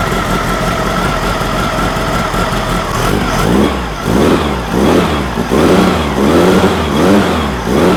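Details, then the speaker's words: Freshly built VW engine for a Baja Bug on its first fire, baseline 10° advance at idle: with throttle blips the engine surges and falls in uneven waves about once a second. Distributor throwing far too much advance. "I've seen them to where they'll throw that much advance in them um and that's that was crazy that's that's no buo"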